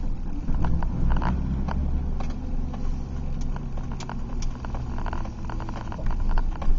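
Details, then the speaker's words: 2005 Chevy Silverado 4x4 regular cab, manual 5-speed, recorded inside while driving: irregular loud gritty crunching bursts from the front end over road rumble; owner suspects front differential, sticking electronic servo or wheel hub bearing, not confirmed. "again well that was a big one there's another one and another that was a good one that was loud"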